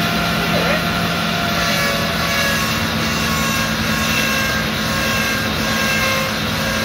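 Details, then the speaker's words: Discovery 2 Rover V8 4.0L, first start after engine rebuild: steady run with a loud high wavering whine from the power steering pump. The pump was cleaned and rebuilt with a new gasket, but it was empty and the refilled reservoir wasn't enough, so air is in the system. "well there it is it's run there was a horrendous sign you i'm sure you heard it and you could see me looking down in that direction that was the power steering pump"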